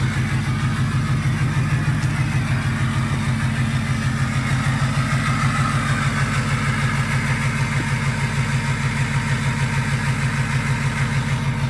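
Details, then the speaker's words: 2005 Ford 6.0 diesel single cab, about 65°F out, idling loud and lopey at about three pulses a second; cylinder 8 contribution fault/misfire, cylinder drops out as it heats up and smokes more; low compression suspected, compression test planned. "but it just progressively gets worse and then you'll hear the cylinder drop out and so yeah I'm that's where I'm a little lost and I think a compression test is going to tell us a lot of that"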